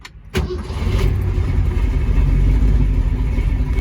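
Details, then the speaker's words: 1967 Mustang Fastback 428 Cobra Jet V8 with electric exhaust cutouts, no headers, in neutral with no throttle: short crank, catches at once and settles into a deep steady idle; healthy start. "Did not press the gas and the car started."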